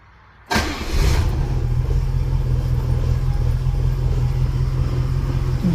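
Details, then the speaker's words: 1971 Rover 3500S P6 US export model, first start after fuel pump replacement: short starter spin, catches at once and holds a deep, steady, even idle with no stumbles; fuel pump working, no leaks seen. "Sounds good. I don't see two on the floor. Looks good to me so far."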